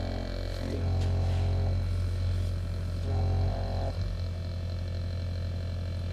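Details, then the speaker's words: TurboWerx Spartan quiet turbo oil scavenge pump (12 V, max 3.5 A) on a bench test: low, steady hum with a faint whine, smooth with no rattle; significantly quieter. "significantly quieter that's for sure"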